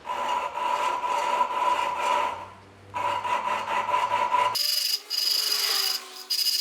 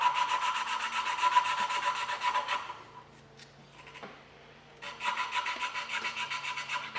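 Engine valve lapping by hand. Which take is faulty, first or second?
first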